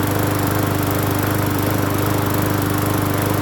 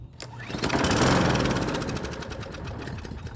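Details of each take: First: Free Hyper Tough 20-inch push mower on first start after cleaning the carburetor and gas tank, with fresh gas and off-brand Seafoam treatment added. Steady, even beat of about 214 per minute with no misses or surging, not shaking. Normal running. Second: Free Hyper Tough 20-inch push mower: engine catches and revs briefly, then fades out and dies; a gummed-up carburetor is suspected, not confirmed.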